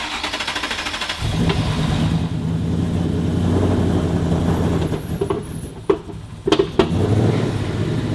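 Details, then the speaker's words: Rebuilt Mustang Boss 302 V8 revs up unevenly, then sharp pops and bangs break through as it settles, with hesitation even at steady cruising rpm. Popping and hesitation. "Yeah, I was hoping all that popping and banging got cleared up. Something still doesn't feel right. It doesn't necessarily run bad."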